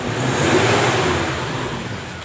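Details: Toyota Innova petrol engine: low steady droning hum rising as soon as light throttle is given; persists with the fan removed and after a fan replacement; drone source not yet pinned down.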